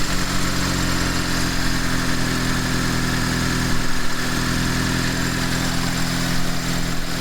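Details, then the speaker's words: Mitsubishi Lancer CE two-door after a new fuel rail and injectors, just started: low, slightly uneven petrol idle with a brief surge and stumble. It starts a bit rough, and something else is still making a noise. "Start a bit rough. It started."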